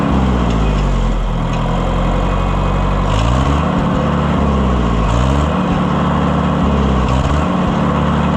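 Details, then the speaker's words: Oliver 550 tractor test run after push rod failure repair, valve adjustment and oil change: even, steady idle with a firm regular beat and no valve-train ticking or clatter; runs healthy. "What a sweetheart. Friends, we saved it. I can't believe it."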